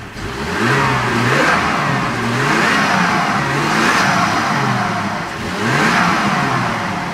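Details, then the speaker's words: 1988 Toyota Supra 7M-GTE, first start after a rebuild onto a replacement block and head with 78,000 miles: revs rise and fall freely with a clear turbo whoosh and flutter on each rev. Normal turbo spool. "You can finally hear the turbo this time."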